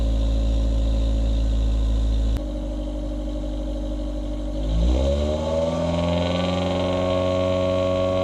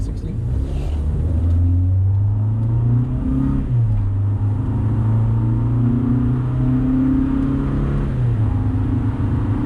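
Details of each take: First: 2000 Honda Civic with eBay header, test pipe instead of cat, OE piping, resonator and OE-style muffler, before the added resonator: steady idle then quick rev climb with a harsh raspy buzz over the exhaust, occurring above 2,800 rpm since the cat was removed. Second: 2000 Honda Civic, cat removed, eBay header with test pipe, OE piping, OE muffler and new 18-inch resonator correctly installed, hard 0-60 acceleration: deep smooth note rising and falling each gear, no rasp above 2,800 rpm; healthy.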